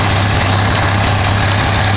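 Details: 1987 Ford Ranger 2.3L, started after sitting a while: low uneven idle with wavering beat over a steady drone; rough idle, owner suspects carburetor needs rebuild or tuning.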